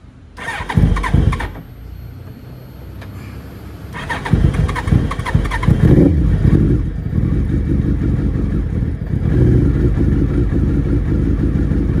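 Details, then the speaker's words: Suzuki Hayabusa motorcycle left standing a couple of months, on choke/fast idle: it cranks, catches, then idles fast and unevenly with a lumpy beat, misfiring and running on three cylinders; fuel filter and injectors to be serviced. "Already just running on three cylinders at least. Yeah. All right. So, that's the problem."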